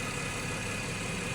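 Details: 2014 Ford FG XR6 after alternator replacement and power steering pump O-rings changed, charging about 14.5 V (old alternator dropped to 10–11 V): steady even idle with smooth hum, no knocks, squeals or hunting; normal idle.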